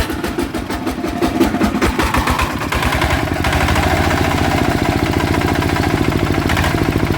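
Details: Blue Bird small petrol engine starts and settles into a harsh, rattly run with a rough shaking undertone; suspected worn or failing crankshaft bearing, engine runs but is noisy.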